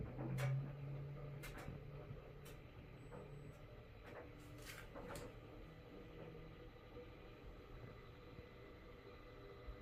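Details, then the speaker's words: GE Profile UltraFast Combo all-in-one washer dryer, first run on a Normal cycle just after the door locks: a low steady motor hum with occasional soft clunks and clicks as the drum turns slowly, sensing the load before washing; normal. "I'm not sure what it's doing right now. Oh, that's what it's doing. It's sensing the load."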